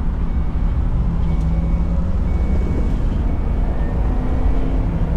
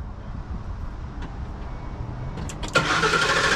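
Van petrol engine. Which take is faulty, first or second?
second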